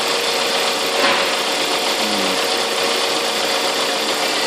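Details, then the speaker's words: 1999–2005 Toyota Celica/Corolla 1.8 VVTL-i 190 running: steady hissy chatter with a fine high rattle, quieter when the tensioner is pulled up; caused by a weak auxiliary belt tensioner spring and worn belt. "It's making a bit of noise. Yeah, a little bit. Yeah. Put your hand under the tensioner and pull it up. And it's supposed to stop making"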